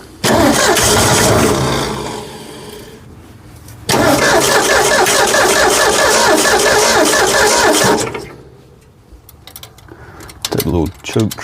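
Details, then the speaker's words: 1965 Ford F100 240 six-cylinder on its newly replaced carburetor, first start; catches, runs rough a few seconds, sags and dies, restarts and fades again, won't hold idle; owner suspects idle set too low, unconfirmed. "I think the idle might be too low it ran few squirts"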